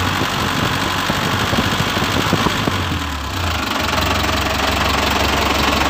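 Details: Toyota Dyna Rino truck with B12 diesel engine, first start after overhaul and reassembly: diesel clatter settles into steady idle after revs drop, no heavy knock standing out; normal running.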